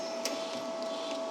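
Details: MIG welder, just switched on with the trigger pulled: steady, even mid-pitched wire-feed motor whine over a quiet cooling-fan hiss, no catching or stutter; wire feed running normally.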